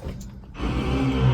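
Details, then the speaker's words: School bus pre-trip inspection, key in auxiliary position, gearshift in neutral: service brake pressed and a steady low electric hum starts and holds, the electric hydraulic brake assist pump running normally. "You want to hear your electric hydraulic assist. So you're just going to step on your service brake and you're going to hear it."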